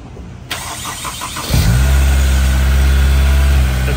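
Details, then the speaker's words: Honda S2000 after a new starter replaced the worn one: crisp, even electric whir cranking the engine, which then catches; new starter sounds healthy. "new starters just sounds so sweet that just sounds really nice don't it that new starter it's got such a nice electric motor sound"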